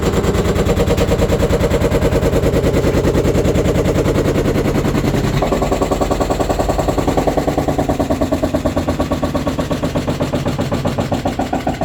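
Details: 6-year-old Samsung VRT washer (WF45M5500AZ) on spin: loud rapid banging and knocking, about three a second, from a deteriorated drum spider arm; metal in the filter, SC and Ub errors.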